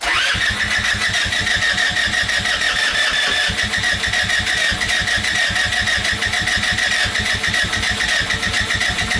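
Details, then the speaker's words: Go-kart engine cold start in snow, just above freezing, after starting fluid spray; long run of even rapid cranking with sputtering catches that never settle into a run; hard cold start, cause unknown. "this is definitely a cold star hard start it's not even that cold out either just above freezing"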